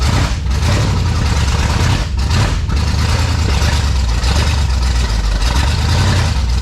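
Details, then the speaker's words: 1971 Chevelle wagon V8 after new front brakes: deep, lumpy idle with uneven loping beat and no clean rhythm, a little grumpy; rough running. "good enough for me a little grumpy but we got brakes"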